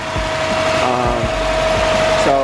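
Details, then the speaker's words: Impala at idle after its loud, bubbling power steering fluid was siphoned out, replenished and bled by turning lock to lock with the wheels raised: a mild, level pump hum with no groan or gurgle, much quieter and back to normal. "um yeah like i said it sounds pretty decent sounds good i'll probably let it run for a little bit make sure the power steering fluid is not boiling over and stuff but uh other than that yeah this sounds pretty much about normal"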